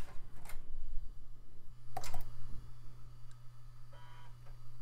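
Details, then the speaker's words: Floppy drive in an early-2000s Micro-ATX PC under test: quick irregular ticks and a short buzzing seek over steady low hum; drive steps and reads normally, sounds really good. "it says, I work fine. Actually, it sounds really good. A noisy hard drive and a noisy floppy drive? I think I'm in love."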